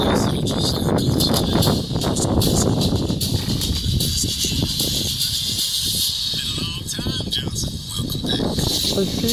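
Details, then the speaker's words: Samsung UN55D6000 55-inch TV playing audio: harsh fuzzy sound with buzzy rattle over everything; speaker cone damaged, cracked cone, fixed by replacement speaker. "speaker inside the cone the speaker cone is moving yeah look at this one the speaker cone is all dense"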